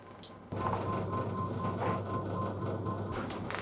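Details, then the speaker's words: Classic car distributor on test with a high-energy electronic ignition upgrade kit, spark jumping a wide gap over a steady motor hum: fast, even, crisp snapping. Strong ignition spark. "oh that's a big gap and it's a strong spark still it's still jumping"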